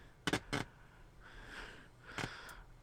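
A few sharp clicks, then irregular hissy noise bursts coming and going on a quiet tuner; an open oscillator capacitor causing erratic AM reception.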